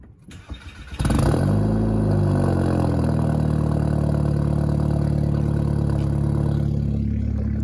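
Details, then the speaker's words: GTI cold start: brief crank, catches cleanly and settles to a high steady cold idle with no stumble. "So we're gonna start the GTI. Cold start for the boys real quick. Cold start for the boys."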